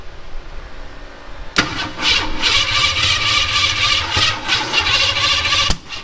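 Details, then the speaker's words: 1972 Ford Maverick with points distributor: engine cranks with an uneven, struggling rhythm for several seconds but never catches; distributor out of time. "hold up all right it's out of time so let's just go ahead and pull that distributor and let's stick another distributor in it and go ahead and time it off"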